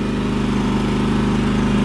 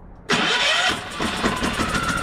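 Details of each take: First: Champion 3400-watt inverter generator after carburetor cleaning, running on auto-throttle: steady, even low drone with no misses, knocks or surging, no smoke; runs really nice, repair appears successful, normal idle. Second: Champion 3400 W inverter generator on electric start: it whirs, catches, tries to speed up, then sags back to a labouring low speed. It cannot gain rpm because the inverter board is shorted, and the short worsens as rising speed raises voltage.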